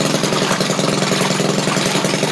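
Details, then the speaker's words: Maytag washing machine small single-cylinder engine thumping at a steady but slow, lazy pace after restart; owner thinks carburetor needs adjusting. "I guess I need to adjust the carb a little bit let me run this a little bit on the slow side there"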